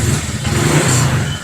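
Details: Honda Click 150 fitted with MTK block kit and MTRT exhaust (carbon heat guard, titanium tip), 784 km into a roughly 1,000 km break-in: a deep, steady single-cylinder burble with a quick rev swell and no knocks or rattles, a healthy exhaust note.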